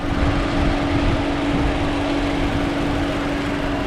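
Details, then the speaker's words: 2018 Toyota Camry, 2AR-FE, automatic, heard from outside at idle with AC on; smooth, steady idle, even low drone, no rhythmic knock; normal idle. "there's no noise in the engine even if we turn on the ac"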